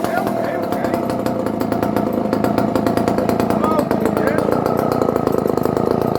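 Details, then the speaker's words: Normal running of a barn-find Dolmar 118 Super chainsaw, roughly 1970s, no chain brake, first test after standing: crisp rapid two-stroke firing held at high revs, even with no misfires or surging. "it sounds like a good s r very nice high picking up"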